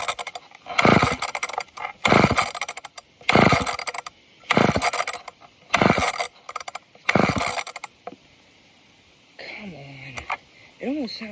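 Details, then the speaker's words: Old off-brand Canadian junkyard chainsaw, pull start after clearing a clogged air filter and adding fuel: five short rattling cranking bursts with no catch; would not start. "Just missed it. I was pulling it off camera. It almost fired."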